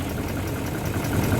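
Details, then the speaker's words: BMW E38 735i, stood for years by a fence, just started: a smooth, low six-cylinder hum at idle with an even rhythm and no knocks or ticks. It runs as it used to, with no exhaust smoke. "Tā viņš griežas. Kā rūca, tā rūca."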